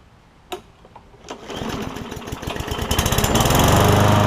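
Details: Craftsman M100 push mower after carburetor cleaning for no-start (suspected primer or emulsion tube blockage): primed, a couple of pull-start thumps, then catches and settles into a steady, even, quickening putter; running properly.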